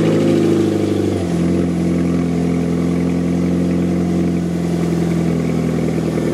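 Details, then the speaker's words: Fiat 500 that broke down sounding like a hot rod and would not exceed 40 mph: exhaust failed at the rear back box, effectively a delete. Started up, it settles into a deep, loud, hollow boom; exhaust leak before replacement. "Okay, so I think it'd be rude not to fire it up and hear what a V8 Fiat 500 sounds like with the rear back box delete."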